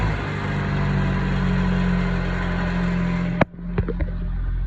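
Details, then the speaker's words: Honda at idle: loud, raspy drone with rough chuffing from an exhaust leak after off-road impact broke an exhaust mount, letting the pipe shake; replacement part ordered. "So, it made that um part of the exhaust leak. Kind of bad. I know you can hear it."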